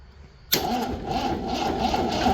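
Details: MGB after new ignition wiring, cranked with a jump box: quick crank catches at once and settles into a smooth, steady idle; starter and engine start normally.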